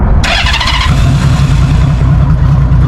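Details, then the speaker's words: Motorcycle started cold on the key: a brief starter whirr, then it catches at once and settles into a deep, even, steady idle. Normal cold start. "Now that is a cold start. So maybe you shouldn't do the throttle."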